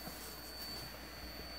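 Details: Cheap power supply: steady thin high-pitched coil whine with a faint hiss as it fails; it later died in a puff of blue smoke and tripped the breaker.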